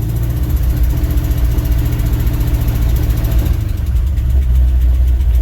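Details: 1967 International 1200 pickup first started after 20 years of neglect in an Alaskan winter: heavy, uneven low lope with irregular pulses, a rough idle; owner suspects the timing is a little off.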